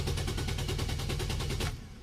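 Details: Nissan Almera during fuel pump actuation test at roadside: fast even cranking about five turns a second, never catches, then stops; cranks but no start from a failed fuel pump relay.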